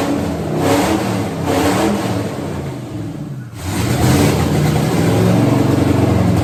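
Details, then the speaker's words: 1963 Ford F100 with dual-quad carburetors and a big cam, first start with no mufflers: loud open-exhaust V8 with a choppy, loping idle and a few strong revs, even firing; healthy, rowdy cam idle. "motor's healthy sounds good uh actually sounds kind of Rowdy uh kind of expected that though honestly with the cam and all it's in it"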